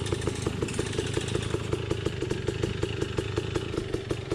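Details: Beta dirt bike idling with a quick, even warbling chirp riding over the exhaust beat, likened to a drowning dolphin; abnormal rhythmic engine noise of unknown origin.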